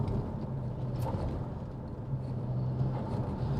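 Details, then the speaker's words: BMW 335i N54 after DIY fitting MFactory 1.5-way LSD: even low road rumble at 60–70 on and off the power, no clunks, knocks or whine from the rear differential; upgrade appears to work. "No clunks, which is good. I think it might have worked. So we're now doing 70. No noise from the rear end."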